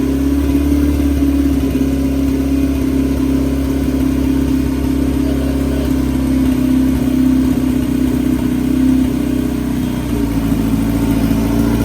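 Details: Big-turbo Honda F20B EG hatch just started after new TPS, throttle body and intercooler pipe refitted; strong even note rising and settling with throttle, no knocks or rattles; sounds good, normal running and revving.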